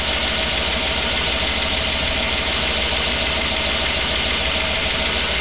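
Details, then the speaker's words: 2008 Chevrolet Avalanche cold start at about 15° ambient in a garage: steady tapping knock through the idle, loudest under the wheel well; knock of unknown origin that the owner has reported to the dealer. "knocking pretty good and at the same time it's knocking it seems to be maybe"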